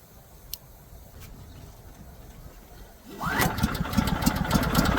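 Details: Lincoln Bulldog 5500 welder small engine after carburetor cleaning, tested with new power switch: quiet pause, then fires and settles straight into an even, steady run; healthy.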